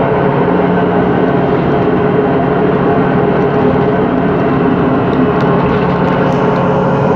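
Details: 2013 MAN Lion's City CNG bus, MAN E2876LUH03 EEV turbo engine, ZF Ecolife 6AP1400B 6-speed gearbox, heard while cruising: steady drivetrain drone with a constant tone above it; faulty, noisy differential whine.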